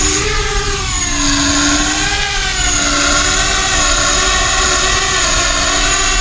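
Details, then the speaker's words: ArduCopter 6-inch race quad flying a roll autotune: high buzzing motor drone with a steady ringing tone beneath it; the roll tune is exacerbating frame resonance, which must be removed first with the second harmonic notch. "so clearly the roll tune is is really exacerbating the um uh the frame resonance so what I'm going to have to do is get rid of the frame resonance first"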